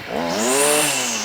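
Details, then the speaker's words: Stihl FS38 two-stroke strimmer after carb tuning (mixture richened, idle and slow screws reset after prior tampering): crisp blip rising quickly to a high buzz and settling back cleanly; sharp, healthy throttle response, doesn't sound half bad. "there you go right don't sound half"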